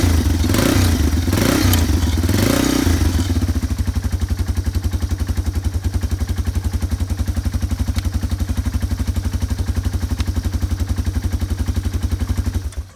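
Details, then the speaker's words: Yamaha ATV engine after carburetor cleaning: fires up, revs briefly, then settles into an even putter at about four beats a second with no misses. Runs well, but fuel came out the overflow, so the float was later adjusted. "What we like to see. I just took the float bowl off again. It was actually running really good, but it was coming out the overflow, so I knew I had to make a slight adjustment."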